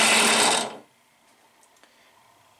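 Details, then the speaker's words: Harbor Freight Central Machinery 5-speed 8-inch benchtop drill press on high-speed pulley (about 3000 rpm), not bolted to the table: under a second of harsh gritty whirring with some vibration; still sounds wrong while stopping, cause not pinned down. "sounds greedy there's a little bit of vibration that is not bolted down to the table"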